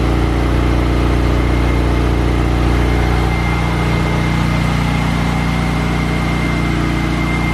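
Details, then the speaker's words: 1990 Saab 900S idling after fitting junkyard fuel injectors; had lack of power and hard starting. Old injectors clattered loudly and water pump screeched, now not heard. Steady, even idle, smooth low rumble, no clatter or screech: normal idle. "So I've put in the new fuel injectors, and I've noticed that the engine is a lot quieter, as in the injectors, the old injectors were making a very loud clattering sound, and the water pump was making that horrible screeching sound. And now I don't really hear it."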